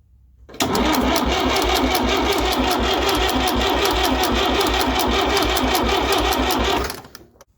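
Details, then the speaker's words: Fordson Power Major diesel tractor parked 5 years. The injector pump delivers little fuel, with none from port 3. Steady cranking at about three beats a second catches briefly for six seconds, then cuts out. Suspected poor fuel delivery; the pump is to be stripped. "them did it start well yes it did but it didn't run very long not quite as I envisaged"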